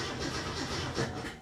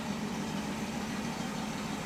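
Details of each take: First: 1967 Mustang with Holley Sniper 1100 EFI: steady starter churn, about five beats a second, at roughly 10 volts while cranking, with no catch or firing. It cranks but won't start. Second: 1967 Mustang with Holley Sniper 1100 EFI, running after the fault was traced to the injector: even, settled idle with a steady low beat and no misses. AFR about 14.2, and it keeps running when given gas. Normal idle.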